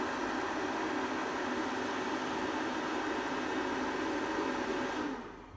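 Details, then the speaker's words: APC Smart-UPS 1500 (bought faulty) after its self-test switches to batteries: the fan runs high for about a minute to cool the charging circuitry, a steady rush with a faint hum and no ticking or scraping, then slows down. Normal. "and then the funnel will run quite high for a minute to cool the charging circuitry then it should turn back down again in a second"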